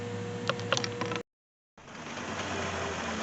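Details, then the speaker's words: 2002 Toyota 4Runner idling after new fuel pump and new fuel filter installed: smooth, steady idle with a few handling clicks and a brief dropout, no stumble; runs and sounds good. "so the new fuel pump is installed a new fuel filter is also installed and uh the vehicle is running as you can hear runs good sounds good"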